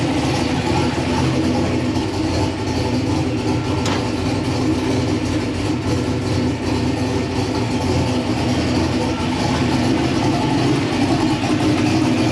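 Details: LS-swapped V8 "Bob" just converted to methanol, idling through its warm-up cycle while data is logged: deep steady burble, even beat, no knocks, misses or whine; normal idle.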